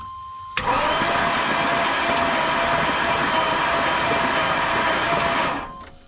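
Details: Big-block motorhome bought at insurance auction, with water in the intake, cranked with the spark plugs removed to expel the water: a fast, even starter whir for about five seconds with no compression chuffs, then it winds down.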